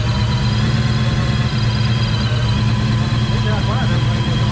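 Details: Supercharged Coyote V8 swapped Fox-body Mustang on E85, three-inch exhaust, first start after tune: deep, steady, lumpy idle with constant low rumble and blower hum, running even and healthy after brief initial misfiring.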